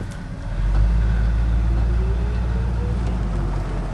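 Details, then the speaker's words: 1972 Ford F-100, carbureted, driving under light throttle: deep, even rumble with some road noise, no knocks or misfires; a healthy engine. "hear that motor man that sounds good sounds healthy it's a healthy Ford motor"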